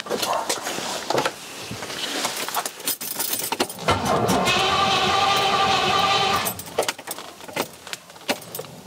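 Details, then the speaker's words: Rover P6 with 4.6 V8 on carburetors, original coil refitted: cranks, catches a few weak puffs for a couple of seconds, then dies; fuel smell while cranking; owner suspects ignition timing. "i can smell something every time we crank it there's a couple of [ __ ] at the beginning than nothing else which suggests something's happening but then nothing else don't know what's going on"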